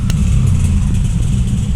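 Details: Bajaj RE single-cylinder auto rickshaw running on LPG with Wingas regulator set about one turn: low, steady chugging with an even beat, no misses or knocks; normal running, correctly tuned.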